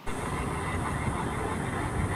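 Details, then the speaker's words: Electric unicycle V11 riding on road: constant rough metallic scraping growl under riding noise; owner suspects a wheel bearing issue, unconfirmed. "it sounded like it was a metal metal scraping and the and the logical thing to me that would cause that is some sort of issue possibly uh in the bearing on on this wheel in this particular wheel"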